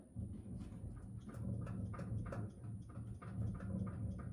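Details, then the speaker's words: Pickup truck rear, parked and rocked by hand: light irregular knocks and clicks with each rock, a loose clunk from the rear axle; owner traced it to a bad rear wheel bearing on that side. "I was like hm that don't sound right so that's how I found that this wheel bearing was messing up on this side"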